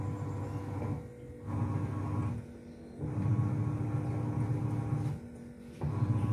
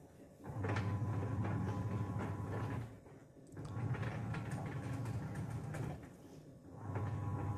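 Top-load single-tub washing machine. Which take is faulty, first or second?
second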